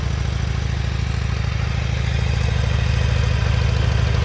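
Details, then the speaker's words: Harley-Davidson motorcycle, after replacing one blown fuse: deep, even V-twin idle at about three beats a second, smooth regular rhythm, no knocks, very quiet for a Harley; engine light still on; normal idle. "Oh, it actually sounds alright. Yes! One little fuse."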